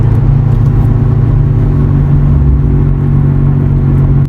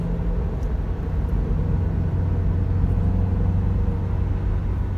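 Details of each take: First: Terios driving just past 40 km/h: a continuous low droning hum comes from the left front and grows much louder; the mechanic suspects the front wheel bearing. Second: Toyota Terios after the front repair and a broken differential mounting were replaced, driven at about 60 km/h then in neutral: steady road rumble with no hum or growl, the earlier noise fully cleared.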